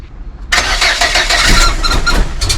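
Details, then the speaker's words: Volvo 480 after engine reassembly: starter cranks about two seconds with uneven firing bursts, but the engine never catches. It normally dies almost immediately after starting; the cause is still unknown. "I don't know [sighs] that obviously it didn't work."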